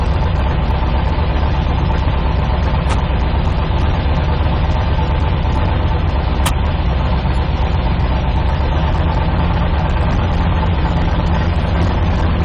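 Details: 1972 Nova drag build, in gear after transmission test following fluid drain (earlier 2-3 shift locked rear wheels); deep even idle rumble holding steady, no clunks, slipping flare or whine; all gears and trans brake working, normal idle in gear.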